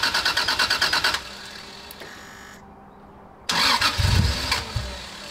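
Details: 1990s Toyota Soarer with a rusted fuel tank: rhythmic cranking, then it catches, runs rough for 2–3 seconds and dies with no power; cause was low fuel pressure from a split fuel pump hose, later fixed.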